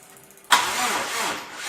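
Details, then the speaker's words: Subaru with freshly rebuilt EJ207-block engine, cranked with crank sensor off to build oil pressure: starter drags the engine over sluggishly and laboriously because the battery is at the end of its life, needing jump packs. "So this battery is at the end of its life, so I had to get multiple different jumpers, and I did just keep cranking it."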